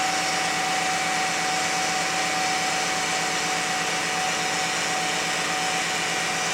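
A steady, fixed-pitch whine sits above an even engine run the whole time; something is whining, cause still unknown.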